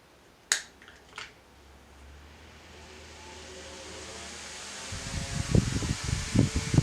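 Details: Lakewood HV-9G high velocity fan, with a motor that is getting dusty: switch clicks, then steady air rush builds to high speed; smooth, no rattle or grinding, healthy.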